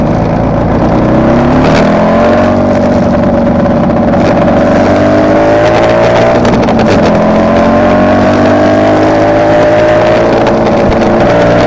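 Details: Kawasaki KR250A two-stroke at idle, recorded while the engine still ran: idle wavers and hunts, pitch drifting with a few stumbles; tachometer moves oddly at idle, and as it connects to the misfiring cylinder's wiring, owner suspects a mixed-in misfire, appearing over the last three runs.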